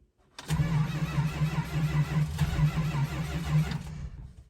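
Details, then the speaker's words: 1971 Dodge Charger R/T, 440 V8 with a sensitive carburetor needing rebuild, cold after sitting four months: steady starter churn, with the engine loaded up and not firing during a long crank. It took forever to start. "that took forever it was really loaded up it did not want to start"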